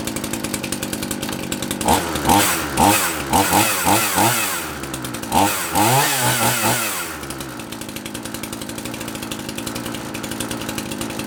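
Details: Handy 38cc petrol two-stroke chainsaw, donated, started on half choke with chain brake on: catches, revs up and down with throttle, then settles to a steady idle; runs fine.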